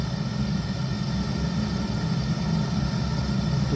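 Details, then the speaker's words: Zhukovsky gas heating boiler built 1997, gas tap about a quarter to half open: a steady low roar with an uneven pulsing throb. Unstable burner combustion noise that disappears when the tap is opened further. "Но вот я допустим сейчас слышу какое-то такое легкое похрюкивание то есть шум горелки газа и шум какой-то нестабильности горения"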